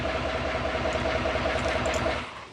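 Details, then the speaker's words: 2018 L5P Duramax diesel at about 501,000 miles starts and runs fine but has low oil pressure and a sometimes funny sound: loud steady clatter with fast even rattle until shutdown, on one battery (one shorted); owner suspects loose oil pump gear or failed oil pump. "it starts and runs fine it just has low pressure and it does sometimes have a little funny sound to it"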